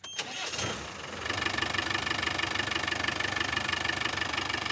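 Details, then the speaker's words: Diesel touring vehicle after repair: two damaged bolts on the fuel injection pump were replaced and threadlocked, curing a front-of-engine knock that changed with acceleration. It cranks briefly, then settles into an even idle with steady firing pulses and no knock. "the magical sound has been solved it's fixed"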